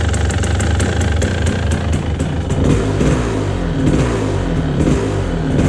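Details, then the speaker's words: 1997 Kawasaki KDX220 two-stroke, sputtering with poor throttle response, cold after one kick with no choke: burbling, uneven, sagging beat, smoky, loading up and near stalling; carburetion running too rich. "Definitely smoky. Sounds like it's loading up. Sounds like it's about to die."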